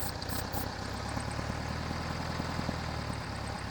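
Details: Air-cooled VW with rough idle and stalling at stops, before repair. Starter fluid confirmed a vacuum leak at both intake manifold boots, and the low, lumpy idle has a hiss of unmetered air leaking past the cracked boots.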